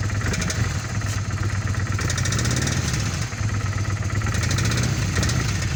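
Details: 1997 Kawasaki Vulcan 800 V-twin, 70,000 km, at idle: lumpy beat with a sharp, regular tapping on each beat; knocking noise whose cause is unknown, owner asking for help.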